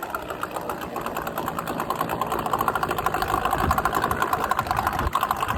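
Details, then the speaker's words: Late-1970s/early-1980s Yamaha-built 8hp Mariner two-stroke outboard that randomly shut off, after new fuel pump fitted: fast, even buzzing tick, steady with a slight rise in revs, no stumbling; runs smoothly after repair. "But I've had it installed, been running it, and now it seems to work good."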